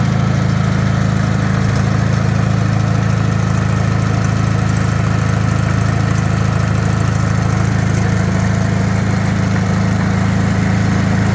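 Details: Rebuilt Wisconsin THD air-cooled engine on a bench, 20-over pistons, bored, a little loose, with a flush head said to run quieter: smooth, even low beat around four pulses a second, no clatter or knocking; healthy.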